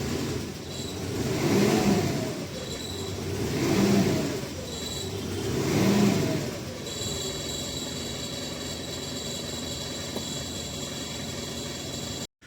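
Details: Mitsubishi Pajero Sport with jerking while driving, check engine light and DTC P0341 camshaft position sensor range/performance: revs swell and fall three times about two seconds apart, then settle to a steady hum; rpm fluctuation, cause not confirmed.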